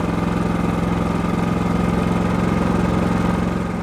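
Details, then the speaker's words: Genmax GM7500 iAED dual-fuel inverter generator with about 9.3 hours of use, no load: a low, even rumble pulsing about three times a second with no knocks, surges or misses; idling smoothly. "Hear how quiet she is. You can just hear how quiet she is."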